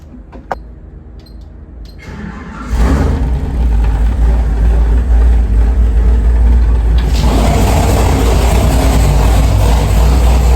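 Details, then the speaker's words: Freshly built 467 big-block Chevy on the dyno, warmed up, after carburetor screw adjustment: catches about three seconds in, then runs a deep, loud, even roar that climbs cleanly with throttle; crisp and healthy. "I can get better uh throttle response than doing it here and just show you how crisp this engine is I mean it's like real throttle response and really really nice"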